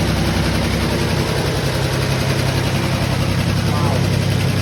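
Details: Fire-damaged 1951 Chevy six running without a radiator, after the leaking carburetor was tapped and stopped leaking: a steady idle and clean revs with a smooth low drone and no knocks or misses. It idles and revs normally.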